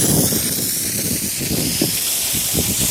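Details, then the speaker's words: Sprinkler system blowout with an air compressor, zone 7, first blast: steady hissing spray with low sputters as air starts pushing through the last, farthest head on the zone, clearing the water. "This is definitely the last head on this zone. Now it's getting some air. You can hear it."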